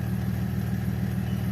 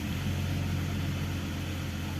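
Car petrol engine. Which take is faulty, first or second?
second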